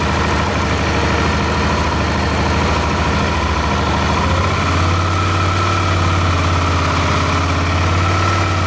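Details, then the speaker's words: Suzuki DL650 V-twin, which sneezes during warm-up and at small throttle openings: when the intake manifolds are sprayed with Suprotec the steady idle steps up and stays higher, suggesting an air leak that enriches the mixture. "ну вот собственно видно то что мотик отзывается на пролив q-breaks инором то есть там есть подсос воздуха смесь у нас обогащается в этот момент и оборота естественно вырастают"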